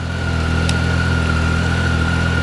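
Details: 2013 Triumph Tiger 800XC, hot after a 35-mile ride, fixed with a new OEM starter after a defective factory one. Steady, even idle with faint constant fan hum, no misses or knocks: normal hot idle.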